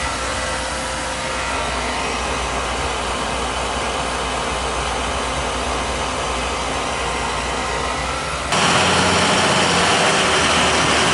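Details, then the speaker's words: Oil boiler burner that had run out of oil and previously sputtered, after a service visit with good draft over the fire: steady, even roar and smooth flame with no pulsing or sputtering, a little crusty but working, normal. "y a little crusty looking but she's working"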